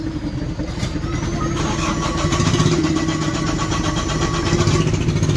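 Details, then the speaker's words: Mahindra Bolero Pickup BS6 diesel with codes P0088, P262B, P128, P1233 and P1832: the starter churns steadily about four times a second with no catch. The engine starts, then sputters and shuts off; fuel pressure fault suspected. "Start हो गया, धर धर करके बंद हो जाएगा, देख पा रहे बंद हो गया।"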